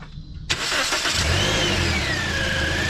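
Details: Car with suspected alternator fault and battery charged, after the battery was disconnected: engine cranks and catches at once, then settles into a steady idle with a faint belt whir; starts and runs fine.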